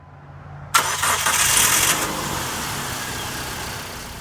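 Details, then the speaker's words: 2005 Dodge Neon 2.0L SXT after ignition coil pack replacement. A brief crank, then the engine catches at once and settles into a steady, even idle; a clean, healthy start. "everything's running great, engine fired right up."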